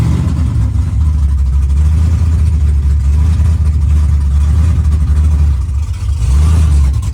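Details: Car sat a long time and was out of fuel; after refuelling and fuel rail pressure reached 55–60 PSI, it started. Deep, steady V8 rumble, then a brief clean rev rise; runs smoothly. Still needs coolant, tune and vacuum lines.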